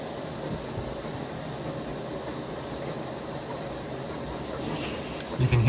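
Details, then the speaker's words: Kenmore Elite HE4t washer on an Express Wash cycle, at the final rinse before the final spin with 16 minutes remaining. A steady soft rush of water fills the tub with gentle swishing and no knocks or grinding. Normal rinse fill. "can hear the water spraying around, or not spraying, but like swishing around in there. It's filling up."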